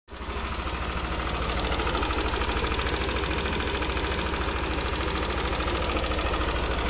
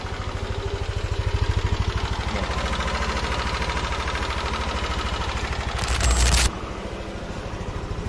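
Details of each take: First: Yamaha NMAX scooter idling with a light, regular top-end tick about three per second, still faint but present; cause not yet pinned down before the engine was taken apart for repair. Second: Yamaha NMAX scooter after a fix for engine ticking, engine warm, traction control off: a smooth idle with a steady low putter and the ticking gone.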